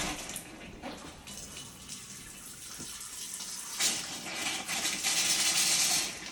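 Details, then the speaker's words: Electric water heater refilling after replacement of both heating elements, sealed with silicone and showing no bubbles: a steady rushing hiss of water that swells louder, with no gurgles; the tank is filling normally. "And it sounds like it's filling up pretty good."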